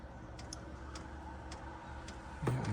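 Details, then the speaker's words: 2 kW Chinese diesel heater in a 1997 Mazda Bongo Friendee with an E-07 code: soft pump ticks about twice a second over a fan hum, no burner roar. It thinks it's running but isn't; owner suspects flooding or no fuel reaching it. "think it's running he thinks he's running but he's not running you know the Fan's on"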